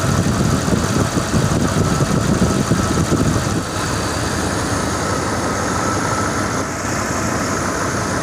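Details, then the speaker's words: 1993–98 Jeep Grand Cherokee V8 idling after serpentine belt replacement, with AC bypass belt fitted because the compressor was dead: steady, even idle with low rumble and no belt chirp or squeal; normal idle. "so I'm gonna go start it and listen for any squeaks final handle squeaks and a job well done"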